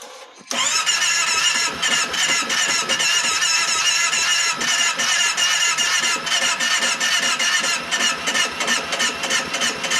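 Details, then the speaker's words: 2010 Kawasaki Teryx 750, cold start, new spark plugs, coils checked: catches after brief cranking and runs only on throttle with a raw, hissy bark, won't idle until warm after about 5 miles; tight intake valve clearance the cause. "It will not idle. But once I got it to start, about will not idle until it warms up."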